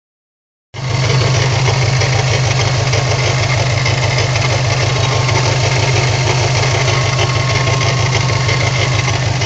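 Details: 2004 (54 plate) Subaru WRX idling with a light regular tick about three per second over a low rumble; random, noticed in town and average-speed driving, fine when driven hard, cause unknown.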